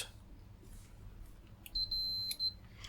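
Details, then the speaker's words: Continuity test on the cleaned battery contact of an HDMI matrix remote control being repaired, with the sticky tape residue removed: the meter gives a steady high beep for under a second. Good contact. "We can test this to make sure we have a good contact."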